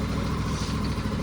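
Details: Craftsman T3000 riding mower, Briggs and Stratton V-twin, 103 hours, after replacing surging carburetor with BUTOM kit: steady, even low putter at idle with no hunting or surging.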